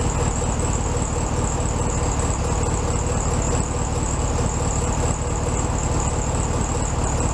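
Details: 1967 VW Beetle 1500cc air-cooled flat-four, warmed up after carb reinstalled on new base gasket: steady, even chatter at a slightly high idle, no hunting or stumbling; normal idle.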